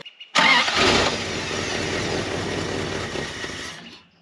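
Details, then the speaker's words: Carbureted Dodge W300 dump truck restarted after sitting a year, with fresh gas added: it catches, runs ragged about three seconds, then dies. The owner suspects fuel isn't reaching the carburetor, possibly a failed fuel pump. "seems like the fuel is not getting to the carburetor they're not running long enough"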